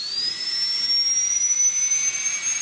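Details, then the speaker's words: Inovadent dental unit high-speed handpiece turbine run after cleaning with Bio-Lube cleaner and oiling with nano lubricant: clean, steady high-pitched whine climbing smoothly, the turbine singing smoother and picking up speed; normal running. "And when I press on here, you'll hear it, the singing of that turbine will change a little bit to a more of smooth."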